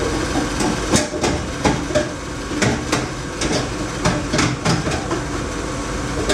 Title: Laars Mini Therm II making rattling sound